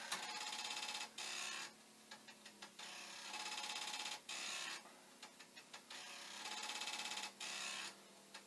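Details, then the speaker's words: Commodore 1541 disk drive (test drive's mechanism on the faulty drive's circuit board and power supply) running a continuous load program: bursts of rapid mechanical ticking and buzzing, stopping and restarting about every second; head knocking, failing to read. "i did just for a moment there tweaked the speed and if the drive wasn't doing its head banging you might have been able to hear it"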